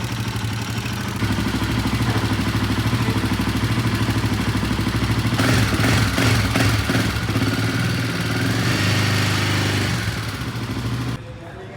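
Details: Royal Enfield Himalayan 450 at about 14,000 km, after dealer shim/tappet work: steady idle with rapid dry ticking clatter about three a second, louder up top; still present, cause suspected not confirmed.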